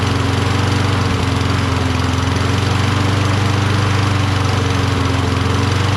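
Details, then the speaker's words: Toro Recycler mower, Kohler XT675, cold with choke closed and given starting fluid: loud, uneven chug that stumbles now and then. Owner suspects low spark from the magneto, not confirmed; it runs rough. "but if it's getting low spark it'll have difficulty starting like it's doing now yeah it seemed like it's starting should i blow some gogo juice in there"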